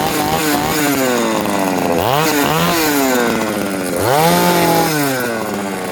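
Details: Small two-stroke motor, freshly rebuilt with cleaned carburettor, first runs after tuning: runs crisp and steady, revs cleanly on throttle blips and settles back to idle without stumbling; kill switch works; normal running.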